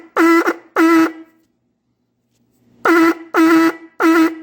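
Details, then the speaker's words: Fordson Major E27N tractor's vibrator horn after adjusting the tone screw that controls point vibration: clean, steady buzzing note in five short blasts at a stable pitch, sounding healthy and properly adjusted. "That sounds good. We'll lock it up about there."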